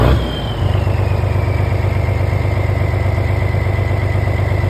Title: No starting fluid - no start